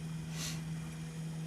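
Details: EPC RM400 speed control running the applicator auger motor: steady low hum with no knocks, surges or grinding, running normally.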